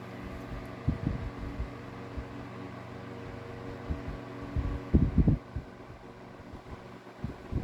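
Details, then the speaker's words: Mid-late 1950s GE Standard strap fan, 12-inch oscillating desk fan F14S125, metal blade, turned down to low: quiet soft steady whir and low hum with occasional light bumps, little blade air noise; normal running. "Very quiet. And I always say that with metal bladed fans, they normally make a lot of noise with the blades moving the air, but this one, it seems like GE knew what to do with their metal bladed designs"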